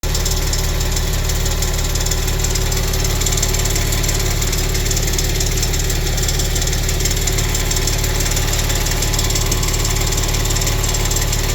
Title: Ticking sound under right side turbo 2014 Maserati Quattroporte SQ4